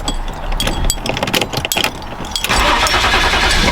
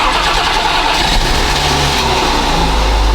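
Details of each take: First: BMW E34 wagon, fuel pump newly installed and hardwired, dead fuel pump relay found: starter churns unevenly for a couple of seconds, engine briefly catches with a rough surge but fails to keep running; crank, no start. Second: BMW E34 wagon after new fuel pump and replacing dead fuel pump relay: quick crank, catches and settles into steady idle without stumbling; normal start and idle.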